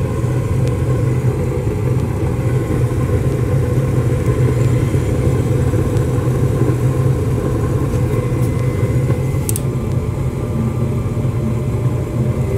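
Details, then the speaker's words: Rheem furnace after new blower motor installed (old motor bad, filter matted, cleaned): burner lit, new blower kicks in with steady low rumbling airflow and even hum, no knocks, rattles or squeal; running smoothly. "Just waiting for that new blow motor that we put in to kick in."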